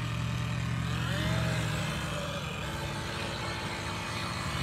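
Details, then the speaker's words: RC boat electric motor under load on water: uneven whining, surging drone, labouring and bogging; owner suspects the prop tunnel is causing it, fine at normal speed; something not happy. "oh that motor don't like this or something something's not happy in there"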